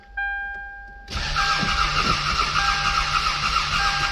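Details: 1995 Toyota Camry crank no start, after a bad battery, reportedly stalled after 10 minutes: door chime, then starter cranks at about three and a half beats per second, engine never fires; no injector control, suspected missing crank signal.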